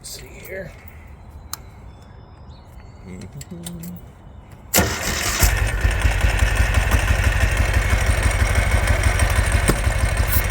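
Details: 2005 Ural Patrol twin motorcycle firing only on the left cylinder, after cleaning a suspected air-leak area, with starting fluid sprayed around it: fires into a lumpy, uneven idle with a hollow beat; one cylinder dead.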